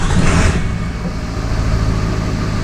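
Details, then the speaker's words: 2000 Ford F-350 7.3 diesel restarted after PCM removal and tuner chip repair, no check engine light: engine catches and settles into steady, even low rumble with no misses or knocks; normal start and idle, high idle restored. "I just test ran the truck. I'm gonna start it up again. We got our high idle back."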